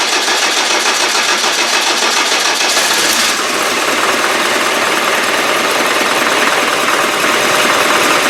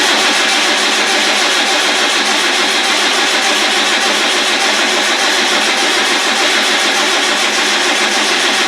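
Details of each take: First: Land Rover Defender 300Tdi diesel, freshly rebuilt and installed, first start after fuel-feed problem traced to a faulty pump and pipes refilled: busy diesel clatter catches after cranking, settles into even steady revs; fuelling and running normally. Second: Land Rover 300Tdi diesel after rebuild: starter cranks steadily at about 100 beats a minute and never catches; filter is full but the pump isn't pumping, a fuel supply problem, possibly a failed lift pump.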